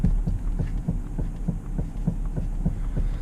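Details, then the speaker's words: 2017 Subaru Legacy 3.6R at 60,000 miles, clunking over bumps even after a driver-side sway bar link replacement: repeated dull, low thuds in a loose rhythm; steering- or suspension-related clunk, source not confirmed. "a clunking noise coming from you know it's something steering or suspension related"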